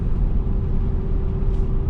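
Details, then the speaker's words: BMW E60 M5 S85 V10 after replacing cylinder 2 and 3 coil packs and ionic module: barely held light throttle gives an even, steady hum, no longer rising and falling in volume as the earlier misfire did. "Like now I'm barely holding on the accelerator like I was talking about before, and it's not going off and on."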